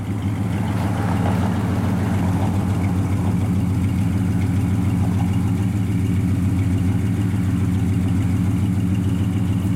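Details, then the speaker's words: Restored 1967 Chevrolet C10 Custom with 327 V8 after a frame-off restoration, started and idling: deep, even burble holding a steady idle, no misses, knocks or ticks; runs perfect, normal idle. "We'll fire it up. Fires up, just runs perfect."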